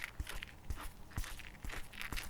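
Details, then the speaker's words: Begode Tesla T3 electric unicycle motor bearing, removed from the cover and spun by hand near a recorder: irregular gritty clicks and crunches, while the other bearing is silent; owner suspects water ingress past poor seals and plans to clean and regrease it; rough bearing noise. "i hope you can hear that it rotates with noises but the other one is absolutely silent so you see the difference"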